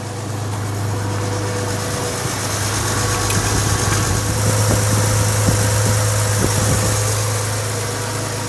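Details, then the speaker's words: 1985 Ford Bronco 300ci 4.9 inline six converted to a Motorcraft 2100-style two-barrel carburetor with vacuum advance, warm after many miles of driving and settling off high idle: steady, even low rumble with no knocks or misses. Healthy warm idle. "go ahead and fire it up for you can hear what it sounds like it does fire right up which is nice i mean it always has"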